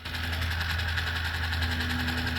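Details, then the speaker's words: 1979 Mercedes 300SD (W116) climate control servo, key on and engine off, thumbwheel rolled from full cold to full hot. Steady, even electric whir with no catching; full travel takes about 20 seconds and the servo works correctly. "I want you guys to listen to the servo moving up and moving down to show that it operates correctly."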